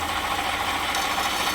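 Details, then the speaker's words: 2018 Jeep Grand Cherokee 3.6 at idle with an underhood whirring complaint. Steady whirring tone of about 1 kHz over a quiet idle, traced with a long screwdriver to a worn water pump bearing; the pump was replaced. "All right, you hear that whirring? That's the water pump."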